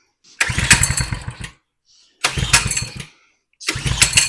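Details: 2020 Coleman 100cc minibike, tipped over and lost oil, throttle not working: three pull-start attempts, each a second of rapid chugging then silence; turns over but never catches. Rotten fuel line spot suspected, brake cleaner used; cause not confirmed.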